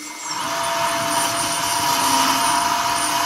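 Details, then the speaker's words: Lesu SK500 LC RC excavator rear track final drive after fitting a cardboard gasket standoff with lithium grease so the motor stops hitting the housing; steady smooth electric whine, quieter forward, a little loud in reverse as motor torque pushes it out rubbing; normal track drive running. "and a little bit loud in Reverse but it's working much quieter when it goes forward because the motor in there the torque moves it in"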